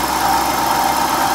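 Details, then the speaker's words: 2011 Dodge Durango, 5.7L V8, just over 80,000 miles: steady idle with a wavering whir riding above the engine; worn water pump bearing, water pump to be replaced. "but it's making a really weird noise and that's it's been the terminus to water pump so I'm gonna have to change that"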